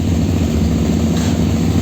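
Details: KTM Super Duke 990 LC8 V-twin just started after new clutch discs and springs (old discs contaminated by coolant from a failed water pump seal): steady, even low rumble at idle with no knocks or rattles.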